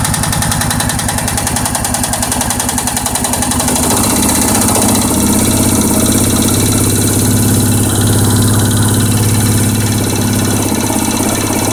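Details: Suzuki King Quad 700 idling after an engine rebuild: sharp, regular tapping about three per second over the exhaust beat, a top-end knock.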